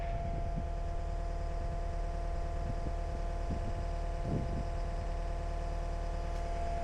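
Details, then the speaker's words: Cat 279D3 skid steer diesel after main drive hydraulic hose repair, jump-started on a new but flat battery: steady, even idle with a low smooth drone, no knocks or misses; engine sounds healthy, normal idle. "Sounds good. Ah, [Music] sounds good."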